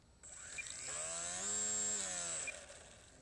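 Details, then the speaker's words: Electric RC biplane (FunCraft ARCO BIPE, modified) motor and propeller after re-closing an open hatch that had caused a crunching noise: high whine climbs, holds, then winds down smoothly with no flutter or knocking; owner judges this level normal. "このぐらいは普通かな。"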